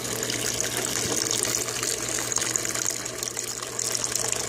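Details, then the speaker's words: Aquaponic bell siphon draining: steady rushing water with fine bubbling and gurgle as the venturi below pulls air; discharge and cutoff work normally. "E esse barulhinho que vocês estão ouvindo é o Venturi que está funcionando logo aqui embaixo."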